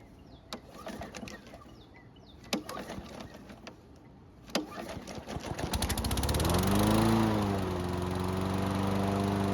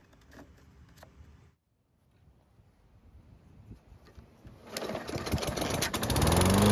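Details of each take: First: Nearly new Toro push mower, hot restart after 10 minutes' warm-up: two failed pull-cord rips, then the third pull catches into a steady run; hard hot restart suggests valve clearances may be off and need inspection. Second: Toro mower with a hot engine, restarted after an oil level check: quiet, then it catches and builds to a strong, steady run; starts on one pull versus three before; healthy.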